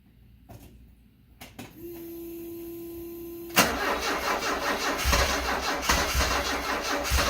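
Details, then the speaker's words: 1974 Alfa Romeo Spider Veloce, 10K original miles, stored 30 years, repeated start attempts after fuel pump priming: starter whirs steadily under two seconds, then louder rough churning without catching; crank-no-start. "Well, I don't know. I guess try again. I don't know, I got to think about this for a while."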